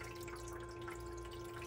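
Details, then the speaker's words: Frigidaire EFIC117-SS ice maker during repair attempt after failing to cycle: steady low hum of the water pump with water trickling and flowing; pump running normally. "Is it really, is it gonna work now? It sounds like it's working"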